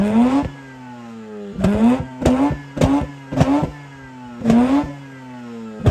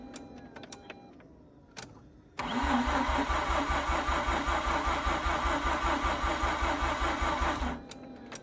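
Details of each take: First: Mazda RX8 rotary revived after 2.5 years sitting, owner says not overheating: about seven crisp throttle blips in six seconds, smooth buzzy climb and clean drop to idle; healthy rotary revving. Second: Mazda RX8 rotary after 2.5 years sitting: about five seconds of labouring cranking at roughly two and a half pulses a second, never catching; battery at 12.2 V too weak, bigger jump box may be needed, owner mentions a faster starter.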